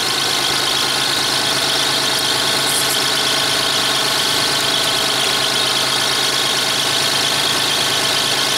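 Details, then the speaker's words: 1994 Lexus ES300 3.0 V6 automatic that won't drive forward but reverses, idling in park during a transmission fluid check: steady idle with a bright, thin chirp from somewhere in the engine bay, source not found. "Vehicle's running, it's in park, it's idling. Got a little chirpy somewhere."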